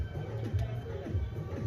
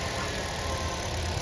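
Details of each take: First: Hyundai i20 petrol engine, no compression, rusted timing chain: uneven, labouring starter cranking that never catches, then loud hiss; teardown found seized main bearings and a bent connecting rod; cranks but no start. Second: Hyundai i20 petrol engine after complete rebuild (previously no compression, would not start), AC line not yet connected: steady even low idle, no knocks, puffing or misses; normal idle.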